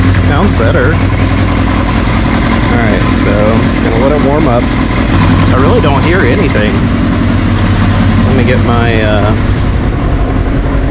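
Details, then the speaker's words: 1981 Kawasaki KZ750 LTD inline-four idling after a manual cam chain tensioner install, heard through a listening tool: chain drags lightly across the slide but no tapping, tensioner judged adjusted well; steady, even idle, normal. "I can hear the chain dragging across the slide but I don't hear any tapping so I think I got it adjusted pretty much perfectly right off the rof"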